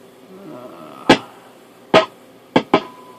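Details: Telsat SSB 140 CB radio, a customer's working unit, probed at the IF transformer cans with a vintage tube signal tracer: sharp irregular static crashes over a quiet hiss, traced to faulty front-end diodes before the AM/sideband split.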